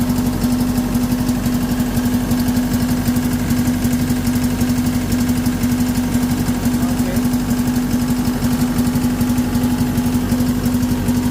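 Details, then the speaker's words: CAT 317 D2 wheeled excavator diesel idling, smoking and shaking: steady low drone with an uneven shake about three times a second, misfire from the number four injector with a totally broken nozzle tip. "the problem before was this uh the four injector was damaged totally the nozle tip is totally broken"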